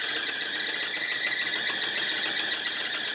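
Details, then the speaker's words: 1975 Lincoln Continental on cold start with temporary fuel system, steady shrill squeal over the running engine from a slipping new belt on a very loose alternator, before tightening the belt. "our alternator is just really loose. Alright, give me a minute. I'm going to tighten up the belt on there and we'll go again. I don't want to hear that thing squealing this whole time or smoke my new belt."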